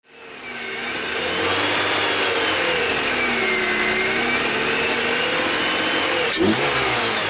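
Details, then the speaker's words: BMW M54 engine running; steady high whistling whine from the front of the engine, wavering slightly with revs; whining noise located with a long screwdriver. "This is a BMW engine M54, and as you could hear before, there's a noise like a whistling, whining noise, which is coming from the front."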